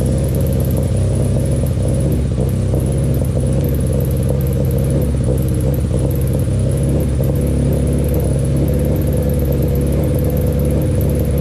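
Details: Freshly built Honda Civic engine, exhaust temporarily mocked up without heat shields: steady, even low rumble with deep exhaust note and no knocks or rattles; normal running.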